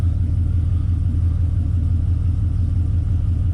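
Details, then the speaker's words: Engine at idle after new spark plugs and reinstalled wires: a deep idle rumble with a recurring stumble about three times a second, and the monitor shows misfires in cylinders 3 and 4 on both banks; cause not yet found. "There you go, you can see I'm still getting misfires in cylinder 3 and cylinder 4. So, not isolated to one bank anymore."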